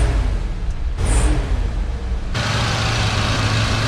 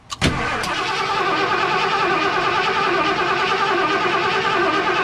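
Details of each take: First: 1978 Ford F-100 after new Motorcraft parts, idling up to full operating temperature: steady low idle swelling into a strong, even rev that holds without stumbling or dying; normal idle and rev. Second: 1978 Ford F100, warmed up, after it stalled: the starter cranks the engine steadily for six seconds without firing. A spark tester on cylinder 1 shows no spark, so the pickup coil is suspected.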